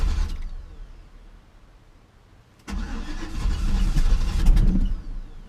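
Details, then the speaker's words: Classic Chevy C10 V8 truck, sat about five years, suspect old fuel; carburetor cleaner sprayed down carburetor: starter cranks at about three beats a second but engine never catches, crank no start. "alright I poured a little liquid dynamite down the throat let's see what happens oh she's trying come on baby come to life"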